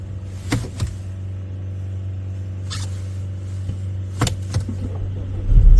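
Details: 2.0-litre turbo petrol car started in cold weather; deep steady engine hum with a few light clicks, fires and settles into clean idle; normal idle.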